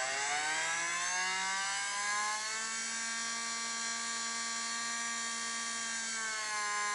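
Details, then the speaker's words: DC permanent-magnet brush motor run on an AC line through a MOSFET split-wave speed controller that also charges a battery; steady buzzing hum with slight pitch drift, a bit of resonance from the motor, cause not pinned down. "You can hear there's a bit of a resonance coming from the motor."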